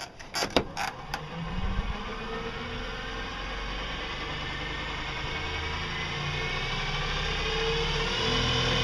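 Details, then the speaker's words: Used electric motor salvaged from the garbage, reassembled after opening it up (brushes recently checked): a few sharp clicks at start-up, then steady, even whir with slight roughness from worn gears; motor running properly. "oh sounds about right part of the noise is just the rough gears down there cuz uh this was a used thing it was actually in the garbage"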